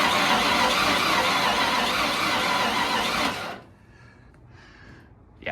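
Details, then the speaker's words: 1992 Ford F-150 with 288,000 km, sat a year and a half, cranking: lumpy, uneven beat for about three seconds, like one cylinder not compressing; suspected dead cylinder, spark plugs and valves to be checked next. "not so great. It's obviously got some sort of issue with one of the cylinders."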